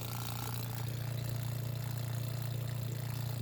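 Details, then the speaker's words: Facet red top electric fuel pump on TVR wedge V8: low steady even hum with soft regular pulse, no rattle or surging; running quietly and healthily. "excellent what a result it's humming away quietly"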